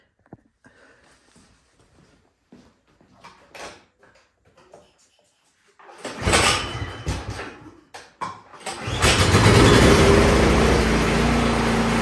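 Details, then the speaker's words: Troy Bilt Storm 2660 snowblower after carburetor cleaning for old gas and clearing a pinhole-blocked emulsion tube, choke knob pushed in: engine catches after a couple of tries and settles into a steady, even idle. "But just put your choke knob back in there. We'll start it back up. Make sure it runs."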